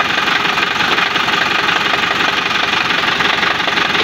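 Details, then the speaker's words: Isuzu Panther LM 2005 diesel, test start before teardown: rough idle with a hard, uneven knock about three times a second over the clatter; timing gear wear and bad engine mounts suspected. "kita tes hidup dulu guys suara mesin kasar kita cek dulu ya sebelum kita Bongkar"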